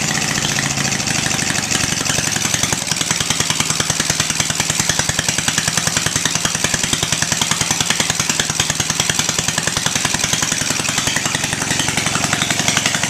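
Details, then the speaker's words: 18 HP Briggs & Stratton opposed twin off a Craftsman mower, electronic ignition, cast iron, first startup on choke before Terra Jet install; quick catch, steady even beat at brisk idle, no misses or surging; normal running. "now to me that's music to my ears an engine you crank it twice and it starts and runs"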